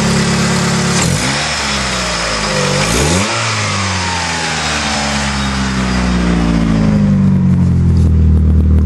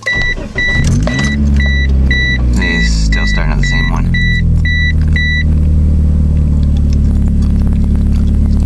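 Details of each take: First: 1996 Mitsubishi Eclipse, belts checked good: a couple of smooth blips up and back down, then an even idle with no chirp or squeal from the belts; nice and quiet, normal running. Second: 1996 Mitsubishi Eclipse restarted after removing a part to see whether the idle changed: a chime, then it cranks, catches and settles into a steady but fast idle that never drops; idling too high, still the same.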